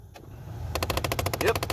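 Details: 2007 Mustang GT, key on, defrost/A-C setting: rapid even ticking, about fourteen clicks a second, over a quiet cabin hum from the blend door actuator behind the dash, skipping gears; replaced.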